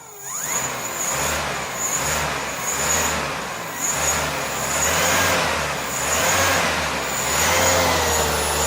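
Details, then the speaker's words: Suzuki Carry van alternator converted to a motor, fed 60 volts, field supplied through voltage regulator: steady high-pitched whine over soft even hum with gentle slow swell; very smooth running, no knocking or grinding. "yeah yeah so I'm quite impressed with it it's very smooth"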